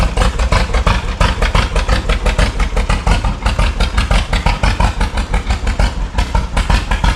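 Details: 1936 John Deere Model A two-cylinder, first start after sitting three years with new plugs, cap and sanded points, choke on: slow loose putt-putt about three beats a second, slightly uneven; carburetor unrebuilt, float possibly sticking, idle mixture wants adjusting.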